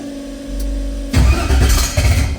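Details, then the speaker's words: 1968 Chevrolet Chevelle twin-turbo build: cranks briefly, catches after about a second, then uneven throttle bursts as the pedal keeps it running; hard start needing throttle, engine thought to need a tune. "Yeah, I got to help it a little bit with my foot. It needs tune."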